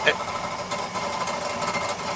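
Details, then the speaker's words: 2011 Ford Fiesta 1.25 MKVI at idle: a busy metallic rattle with uneven knocks, felt through the pedal like a heavy misfire, that worsens as the clutch is engaged and disengaged; traced to within the gearbox, so the gearbox likely has to come out. "it is something within the box when you engage and disengage the clutch. So I'm afraid this is going to be a gearbox out job."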